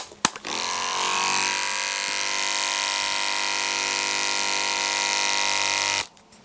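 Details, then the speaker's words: Andis Pulse cordless dog clipper with an old dull Andis Elite size 9 blade: steady high buzz with coarse rattly edge, sounds rough; blunt blade, cleaned and sharpened afterwards. "Don't like that much, does it? It sounds a bit rough. So we'll clean that one up."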